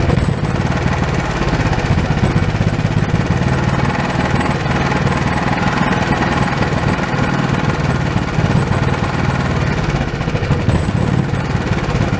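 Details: Old Honda small engine that sat for years, after reconnecting the throttle: a fast, even single-cylinder chatter held steady with no misses or surging; it runs cleanly.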